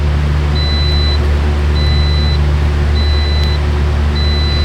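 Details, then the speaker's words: 2017 Toyota RAV4 AWD that stalls when the wipers are turned on, engine running while column wiring is wiggled: repeated high double-tone beeps about every 1.2 seconds, each marking the intermittent wiring fault. "okay there it goes so every time it beeps is when we're having this issue"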